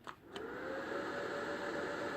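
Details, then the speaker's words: Trash-picked old Lenovo ThinkCentre desktop at power-on, motherboard recently replaced: a couple of clicks then a steady hiss with a thin, slightly rising whine; owner suspects the power supply, not confirmed. "yeah that ain't good that that ain't that ain't good that means it's the power supply"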